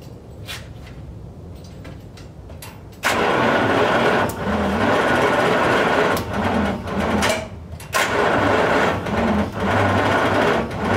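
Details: 1939 Buick Century first start after sitting, plug wires rewired for firing order: cranking and catching unevenly with sharp pops coughing back through the carburetor; firing order or ignition timing off.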